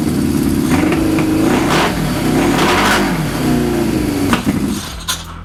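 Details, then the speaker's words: Suzuki GS550 cafe racer, carburetors on new pod filters partly covered with gaffer tape to cut airflow, runs without choke for the first time, revving up and down smoothly with no stumbling or popping; proves pods let in too much air. "Covering my pods with gaffer tape and reducing the airflow into the engine actually let me run it without choke. So that's the first time I've ever done that with this bike."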